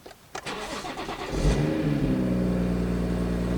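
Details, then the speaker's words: Crash-damaged BMW M140i (category N, from Copart, smashed headlight) starting: brief crank, quick catch, flare, then smooth steady idle, no odd noises or smoke; normal start. "well it certainly sounds though it's running fine it's not making any weird noises and there's certainly no smoke coming from the car"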